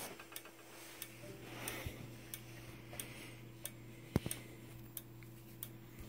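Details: Simplex 4903-9219 strobe, 60 flashes per minute, in a quiet room: crisp, evenly spaced flash ticks and a faint thin high whistle from the charging capacitor; strobe working normally.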